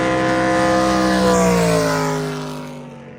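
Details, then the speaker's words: Rebuilt 632ci all-aluminium 1200 hp Big Block Chevy jet boat passing on a lake: strong, smooth V8 roar sweeping down in pitch and fading, even firing throughout; engine healthy. "God, that boat sounds so good."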